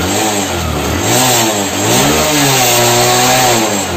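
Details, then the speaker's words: Bajaj Discover motorcycle after half-engine rebuild (piston, rings, valves, timing chain, clutch plates) for white smoke, oil burning and piston knock; small revs settle back cleanly, even buzzy exhaust note, no tapping, knock gone; normal idle and revving. "पहले इसके अंदर piston चीज था इस वजह से खटपट की आवाज आ रही थी अब इस तरीके पर कोई भी सॉन्ग नहीं आ रहा है"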